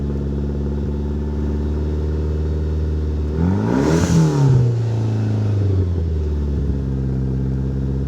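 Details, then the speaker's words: 1997 Mitsubishi Eclipse GSX that sat for almost 5 years, revved to about 4, 5 and 6 thousand rpm: sharp rises back to a lumpy cam idle with a raspy puffing edge from an exhaust leak at the front joint, which has no gasket. "But I think it sounds pretty good, despite there being an exhaust leak at the front still, because no gasket."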